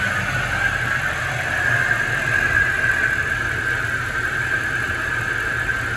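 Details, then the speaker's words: Mercedes AMG SUV M156 V8 idle with constant high whine, suspected power steering pump; reservoir and idler pulley replaced, fluid cycled, Lucas power steering additive added, fluid swap planned, pump replacement possible. "I'm gonna try to swap out power steering fluid, so I can definitely still hear that thing making a bit of noise. And I know there may be a chance I just need to replace the pump, but I'm hoping that's not the case."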